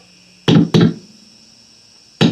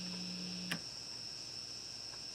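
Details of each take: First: Electric guitar with a five-way pickup selector switch: signal bursts in and drops out abruptly; dust in the switch suspected, not confirmed, cleaned with electronics spray. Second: Epiphone Les Paul SL guitar: a low 60-cycle mains hum drops out after a switch click to the second pickup position, leaving faint high hiss; with two pickups on, the hum cancels, and it returns on the single coil.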